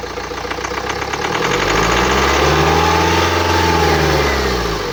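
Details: 2009 BMW X1 xDrive, 2.0 L N47D20D diesel (130 kW/177 PS), 224,000 km, starts and settles to a lumpy idle with a rising, wavering whistle over the clatter; the distinctive noise indicates turbocharger damage.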